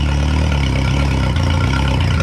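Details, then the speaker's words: 2011 Yamaha T50 outboard after fuel line, bulb, low pressure, thermostats and spark plugs replaced for rough running and dying: low steady idle on choke, even beat, no stumbling; normal idle. "So low pressure changed, thermostats changed, spark plugs are changed. Pretty sure she's fixed though."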